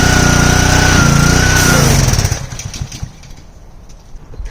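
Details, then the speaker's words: Simpson pressure washer with Honda GCV engine, washing after starting with help: buzzes steadily about two seconds, then sputters and dies; gas still in tank, owner suspects dirty carburetor or old gas. "off again. So, I'm going to check on the gas. There's still gas in it. So, I guess um carburetor is probably a little dirty or dirty old gas dirty carburetor."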